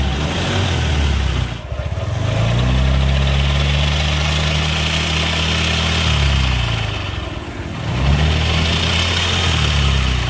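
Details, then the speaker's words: Suzuki Nex scooter before CVT teardown: smooth at idle, but each throttle opening brings a deep droning, snoring growl from the CVT that swells with revs. "nah seperti itu suaranya jadi suaranya itu seperti itu ngorok pokoknya ketika posisi gas ditarik tapi posisi langsam itu mesin halus"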